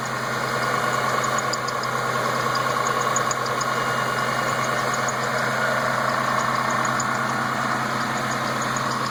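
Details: Newly built engine, all parts new, idling: thin high chirp repeating in short clusters over the smooth motor note from the inner belt; tensioner bearing or belt suspected, cause unclear.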